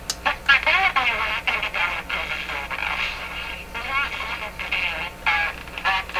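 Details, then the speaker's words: Bakelite Baby Champ NE 5000 radio, before filter capacitor replacement: choppy clipped audio breaking up on louder passages, distortion varying with volume control position; suspected tube way off bias or very low B+, unconfirmed. "So it sounds like a tube is operating way out on its bias, or maybe the B plus is super low or something like that, causing that sort of choppy kind of sound, like something is being limited in the radio."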